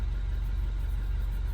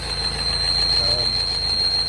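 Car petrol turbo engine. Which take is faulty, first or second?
second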